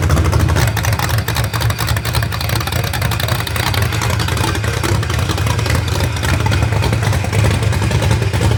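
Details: Rebuilt genuine 1970 Corvette LT1 V8, being built for a 1957 Chevrolet Nomad; deep smooth burble that pulls up cleanly on each throttle blip and settles back evenly, with no ticks or knocks. Healthy running and revving.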